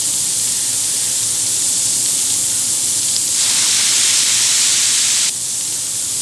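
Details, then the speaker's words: Bench air test of a 7.3 Powerstroke injection pressure regulator (IPR) valve: about 5 psi of air hisses from the ports, then stops when 12 V is applied and the solenoid closes the ICR path; the valve closes properly and holds. "can hear the air stop because the solenoid is floating closing off the uh icr path"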